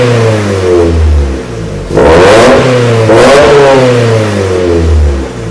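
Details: 1994 Miata NA with 2000 NB engine on Megasquirt, EDIS-4, OBX cam sprockets, 4-2-1 header, Yonaka exhaust, first start; two clean rev blips sweeping up and back to even idle, raspy exhaust, no misfire: normal revving with aftermarket exhaust.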